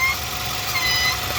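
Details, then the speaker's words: 2019 Nissan NV3500, 5.6L VK56VD V8, about 38,000 miles, idling: loud whistle traced by stethoscope to a hose off the intake manifold that looks split or collapsed; squeezing it stops the sound. Thin high hiss: PCV vacuum leak. "i kind of wandered around until i could narrow down the sound to this hose here coming off the manifold i'm not really familiar with this car but it pretty much runs to here and it looks like it may have split or collapsed back here"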